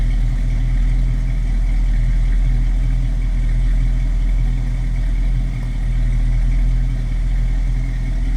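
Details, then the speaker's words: 1966 Ford Mustang Fastback 2+2 with 289 V8, idling just after a cold start: deep, steady, even idle rumble with no knocks or misses; sounds healthy. "a nice sounding 66 right there."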